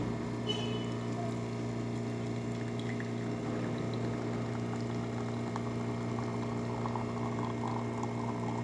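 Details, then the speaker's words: DeLonghi Magnifica S after a full service with a new hose and gaskets: steady low pump hum with an even coffee trickle as the brew unit presses against the valve, grind size 3 test shot. No rattles or strain; brew cycle is normal. "once it's finished you're going to hear the brew and it move towards the front and it's going to push against your McKenna valve which is how it produces coffee"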